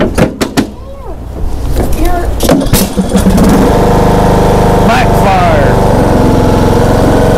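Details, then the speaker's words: John Deere D105A riding mower after replacing burnt deck belt with new one: engine settles into steady even drone under blade load after setup clunks; mowing normally under load. "fire sounds like it's good let's test it come out here going is it mowing oh yeah she's mowing let her let her rip"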